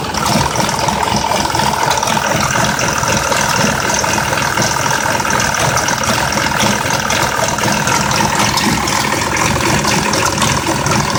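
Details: 2004 Mazda 6s 3.0L V6, 170k miles, new plugs and coils, pre-cats just replaced after being nearly fully clogged: lumpy idle with loose tick and metallic rattle, no steady rhythm; owner suspects the bank 2 VVT solenoid needing replacement, unconfirmed.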